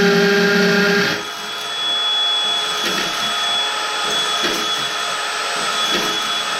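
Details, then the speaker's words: Hammer drill with 6.5 mm masonry bit boring into brick behind a laundry wall: loud steady buzzing whine with rapid hammering rattle as the bit rotates and pulses in and out; normal drilling. "that's the hammer action so it's going around and around around like a normal twist drill and it's going in and out in and out that's that loud noise you hear it just ricocheting off the brick as it as it drills in hammers in"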